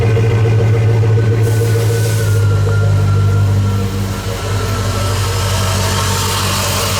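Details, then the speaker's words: Jeep Grand Cherokee WJ 4.7 V8 with 200,000 miles, after an exhaust manifold leak that tripped an O2 code was fixed with new flange bolts. A smooth, even low-rumble idle with no ticking or puffing at the manifold. Normal, quiet idle. "So this thing's pretty quiet for 200,000 miles."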